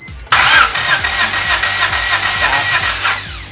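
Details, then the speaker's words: Honda Civic EK with a D16A engine swap, cold engine, using a borrowed EK battery, during a compression test: cranks faster with even compression pulses about three per second but never fires; no start, weak original battery suspected. "the engine did crank better it cranked faster um so his battery may be losing a little bit of juice but still no go"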